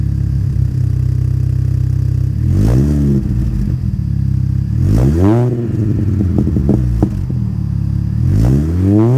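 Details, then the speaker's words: Mini Cooper S R53 after the Borla cat-back exhaust was removed and the factory exhaust refitted: deep, even idle, three quick revs, then settling back with small burbles; a quiet, healthy stock exhaust note. "all right so that's what it sounds like kind of cute I guess it's got weird little burbles"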